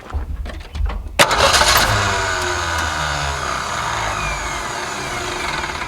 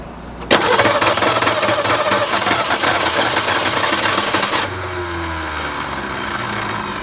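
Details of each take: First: 1961 Ford Falcon left sitting 15 years, started with a shot of carb cleaner: fires after short crank, idles with irregular stumbling beat; rough idle, owner suspects a dead cylinder. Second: 1961 Ford Falcon abandoned 15 years, after starter installed: engine cranks briskly and evenly, about four beats a second, with clean engagement and release; cranking normal, carburetor still needs work for fuel.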